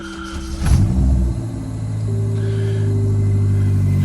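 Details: Suzuki Jimny, after new spark plugs, wiring repair and replacement power steering pump and belt: engine catches cleanly, settles into smooth even low rumble with no squeal or chirp from the belt.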